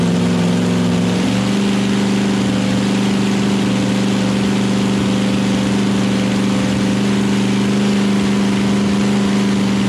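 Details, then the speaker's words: Chevy small-block V8 nitrous drag engine on its first-ever start, initially cold and dying on throttle: it settles into a steady, even, smooth idle with good oil pressure, though it still needs carb tuning. "sound it definitely needs some carb tuning but yeah it's tuned i mean hell it's the first time it's run so man it sounds good though yeah sounds great"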